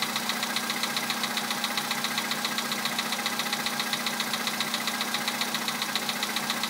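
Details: VW Polo sedan 2011, 64,000 km, Liqui Moly Molygen 5W-40 changed 200 km ago, 98 petrol, +2°C outside: cold idle with fast, even ticking knock about 220 a minute over steady hum; cold-start knock, cause unknown.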